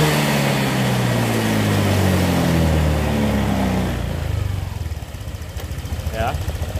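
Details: Honda Vario 125 that intermittently stumbled, after fuel pump replacement and finding the tank full of water: steady, even engine note climbing and falling smoothly with throttle, with no misfire or stumble. Running normally.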